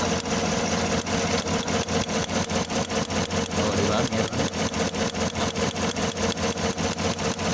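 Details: 2015 Chevrolet Tahoe 5.3L V8 idling: steady lumpy stumble two or three times a second, a misfire; new plugs, good wires, coils, injectors, wiring and compression; cause was a damaged ECM.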